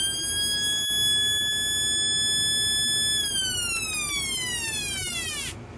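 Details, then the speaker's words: Homemade 1972 police-style siren oscillator with a 33 µF replacement timing capacitor: clean electronic wail holds, then glides smoothly down in pitch before cutting off; close to the original remembered sound. "close to what I remember"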